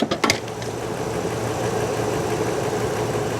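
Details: Ford F250 Super Duty after replacing the serpentine belt idler pulley and tensioner, which had caused an engine-like knock: a couple of clunks at startup, then a smooth, even idle with a steady belt hum and no knocking or chirp.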